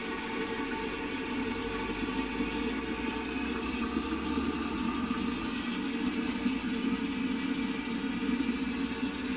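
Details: Post-1945 STOM Cardiff 146 cistern with Shanks siphonic closet, before restoration, water level set too low: constant unbroken hiss of water running that never shuts off; failing float valve.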